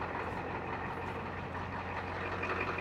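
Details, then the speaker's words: 1989 Ford F250 7.3 IDI diesel idling after starting from sitting unstarted: steady, even clatter with a smooth low drone, no misses or knocks; healthy idle. "I love this damn truck just listen to this [Applause] thing I ain't started that thing in probably eight or nine"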